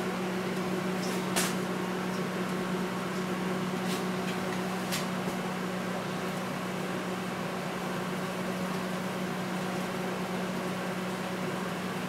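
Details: Panasonic high-power inverter microwave after fuse replacement, heating water until steaming: even steady hum with a few light clicks, no buzzing or arcing; runs normally, the only fault was a blown fuse.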